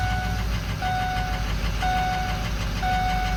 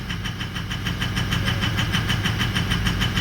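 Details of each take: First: 2004 Ford 6.0L Powerstroke diesel pickup after repair (injector wiring fixed): even, steady diesel clatter at idle with a chime beeping in background, running smoothly before shut-off. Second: 2004 Ford 6.0L Powerstroke diesel pickup idling roughly: lumpy, uneven clatter about three knocks a second; FICM voltage dropped to 41–42 V during cranking (should stay above 45), oil pressure correct at 1280, so weak injector firing from low FICM voltage.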